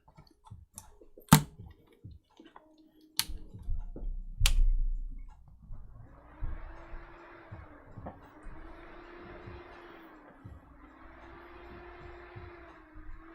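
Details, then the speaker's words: Desktop board with an i5-6400 on test: a few sharp clicks, then a faint fan whir that swells and dies about every two seconds as the board power cycles; traced to a bad RAM slot. "making some funky noises cycle the capture card that sounds like it's power cycling really quickly the fan is just going away that's power cycling"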